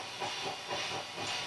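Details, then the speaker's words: Mackie SR24-4 mixer through a bass amp at high volume: loud hiss with rough scratchy surges as a noisy pot is turned during cleaning and servicing. "don't know if that's coming through but as I turn it up you can hear the pot making noise"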